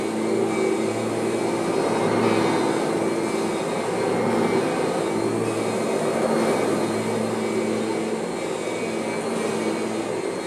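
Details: Kirby vacuum: steady motor roar with only a faint even whine; most of the original normal transmission whine is gone, transmission running normally.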